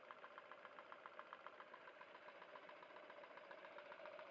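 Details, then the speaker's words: Stuart No1 model steam engine, rebuilt with new machined parts and a bolted (not pinned) 60 Rockwell hardened crankshaft, run on boiler steam: quick, even exhaust beats three to four per second with light clatter, very smooth, no knocking; normal running. "very, very smooth now. No knocking, really. Sounds like quite a powerful engine."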